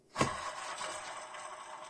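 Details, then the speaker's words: Suzuki Grand Vitara belt idler pulley, spun by hand with belt off during alternator brush replacement: rough, gritty whirr fading as it slows; worn idler pulley bearing noise, needs replacement. "it sounds terrible so they all need to be replaced i'll just have to hope that they don't break so quickly"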